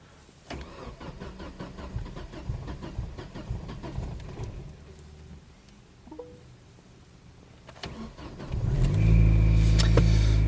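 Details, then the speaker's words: Chevrolet Lacetti that is hard to start cold, tested in the morning after filling with fresh petrol, in snowy weather: cranks without catching, then fires on the second try, as usual, into a loud, rough cold idle. Owner doubts fuel is the cause; unresolved. "ось як завжди з другого разу вона і завелась так"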